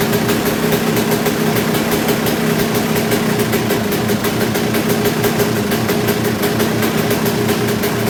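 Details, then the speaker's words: Kawasaki KX250 two-stroke just rebuilt, started in 4–5 kicks without choke and no longer bogging, during carb tuning with a plastic idle screw: it holds a fast, buzzy idle that never drops to a low tickover; idle adjustment seems to do little, cause not yet found. "sound like I run away I don't know really it almost sounds like there's not a lot of adjustment to be had"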